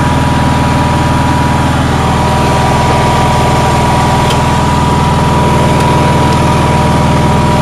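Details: Onan generator, cold day: loud, fast, steady beat with a high hum. The owner says it idles too high and seeks suggestions.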